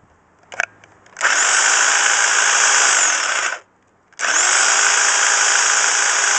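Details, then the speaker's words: Class 2 double-insulated electric hedge trimmer after repairing its cut flex with a flex connector, tested on a table: two runs of a steady high buzzing whine that start and stop cleanly without stutter; it is running normally. "And here's the sound of the hedge trimmer. Sounds good, doesn't it?"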